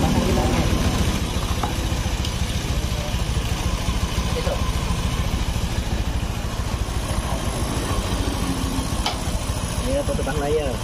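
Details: Honda Scoopy scooter, about 2017–2018, after repair of a noisy, rough-running engine: soft, steady idle with an even beat and no rattle or ticking from the top end.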